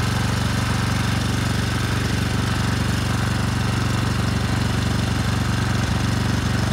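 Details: 10 HP Briggs & Stratton generator engine, rebuilt a second time after a seized rod and an out-of-spec crank, compression 60 psi: steady even thumping at fast idle, no knocks or misses; runs smoothly.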